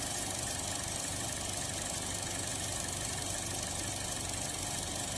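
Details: 2016 Buick Encore with check engine light, P0131 O2 sensor low voltage and intermittent stalling: lumpy, surging, hunting idle from a vacuum leak at the torn crankcase vent valve disc on the valve cover; fix is replacing the valve cover.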